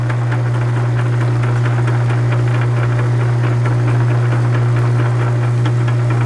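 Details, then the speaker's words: South Bend 9 inch lathe, backgear with two broken teeth repaired, engaged under load on test cut in aluminum, little lubrication: light tick once per turn at repaired tooth over motor hum, not slipping; adjustment may remove it — gear tooth click. "is the load that will flick that you're coming around that's right where that repair is you can probably get that out of there just by adjusting a little bit but it is working is not slipping"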